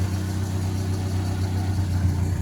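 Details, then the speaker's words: 1987 Ford Sierra Cosworth, running on all four cylinders after 3 years stored: steady, even low idle with smooth firing and no ticking or tapping; engine healthy apart from a small oil leak. "It's got a bit of an oil leak, but the engine itself, I mean, it's, as you can probably hear, there's not like any tapping or anything."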